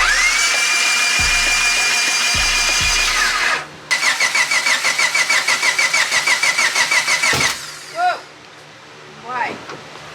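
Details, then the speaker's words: Freshly installed built turbo Honda D16 in a Civic, first start: the starter cranks in even pulses with a rising whine, then a single sharp loud pop. This is a backfire; owner suspects the distributor is 180° out of time. "sound like an explosion babe yeah yeah I know sounds like it's off time"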